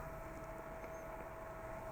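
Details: Acer XD1150 DLP projector after replacing a bad capacitor, now powering on: quiet even airflow hiss with a steady mid-pitched hum that never wavers; the fan is running smoothly and normally.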